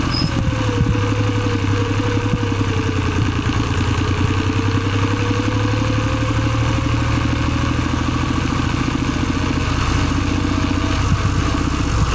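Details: Suzuki Celerio: steady engine rumble with a faint wavering rubbing tone and light clatter, friction noise inside the gearbox.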